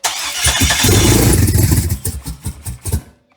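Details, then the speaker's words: Junkyard LS engine with HEI distributor, true cold start at 40°F: cranks, catches, then stumbles lumpy with missing pulses, seemingly firing on about three cylinders; owner suspects he disturbed the ignition timing. "Act like it's only hitting on about three cylinders. What's going on here?"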